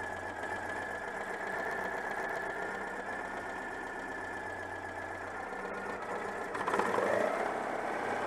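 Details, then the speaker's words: Citroën 2CV flat-twin with worn contact breaker points: light idle that wavers and hunts rather than settling, struggling to stabilise, though it revs up well; worn points upsetting the spark. "bon alors écoutez elles m'ont bien retour elle montrait très bien dans les tours même bon ralenti cas du mal à stabiliser mais bon je vous ai dit le rupteur est un peu hs"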